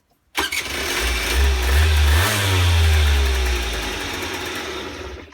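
Engine catches cleanly after a brief crank, revs up and settles into a steady, even two-stroke run with no misfire.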